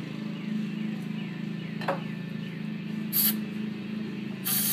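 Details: 1964 VW Bug, first start after over 10 years parked: steady low drone with even beat and a couple of brief hissy bursts; engine running smoothly after long storage.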